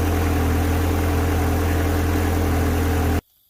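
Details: Ferrari 360 idling cold with fuel pressure gauge fitted: smooth, steady idle with firm low hum and no misses for about three seconds, then clean shutoff; fuel pressure about 50 psi running, 45 after.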